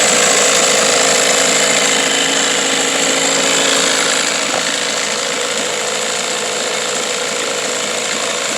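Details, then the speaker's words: 1991 Johnson SeaHorse 15 hp two-stroke outboard, in for a general service and tune-up on a cold day: steady even buzzing run with a fast regular beat and no misses or knocks; quiet, normal idle. "you can hear it's quite a nice quiet running motor"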